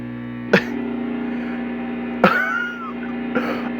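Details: Chinese-made Hofner violin hollow body electric guitar through an amp with one small LED lamp switched on nearby: steady low buzz with strong mains hum and a few sharp pops; poorly shielded guitar picking up LED lamp interference.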